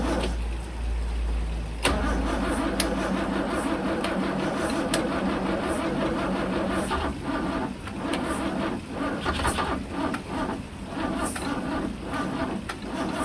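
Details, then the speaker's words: 1963 Mercedes W111 with mechanical fuel injection, cold start connected. The starter churns steadily for a long time but it never catches; fuel reaches the injectors yet they don't spray. Crank-no-start. "So the injectors don't seem to be spraying anything, so I've got fuel getting to the injectors"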